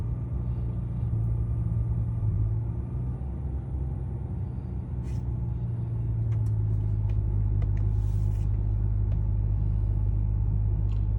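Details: 2011 BMW 335i E90 with N55 engine, cold start: deep, uneven idle rumble that wavers and shudders instead of holding steady. It stalls when very cold, runs fine warm, and the check engine light came on. A mechanic blames the high-pressure fuel pump, which the owner questions.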